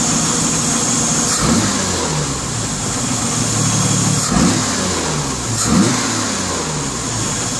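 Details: Engine revved up and down repeatedly, with a brief rattle each time revs fall on deceleration; the rattle can be felt by hand on the left-side riser.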